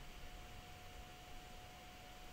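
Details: Roland V-1HD video switcher: thin, steady high-pitched whine over soft airy hiss, constant pitch; the stock internal fan cooling the logic-board processors is simply loud and shrill, too noisy for studio use.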